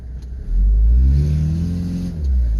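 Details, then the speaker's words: 1995 Toyota HiAce high-top camper van, 3.0 L non-turbo diesel, automatic, test drive after timing belt, water pump and hydraulic alternator replacement: deep diesel note climbs smoothly and evenly under acceleration, no knocks or misses; healthy, peppy. "it's got a pretty good turning radius feels peppy Wow it's got some zip"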